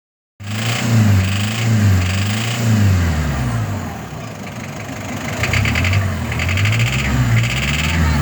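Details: WL-T diesel engine revving up and down with a raspy, chattering noise on higher revs; cause undiagnosed.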